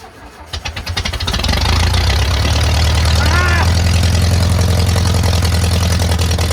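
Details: VW Bus neglected about 30 years, first start after cleaning out mouse nests, exhaust removed: cranks, catches, blows debris out and settles into a loud, raw, rapid popping roar with no muffling. Engine running without exhaust.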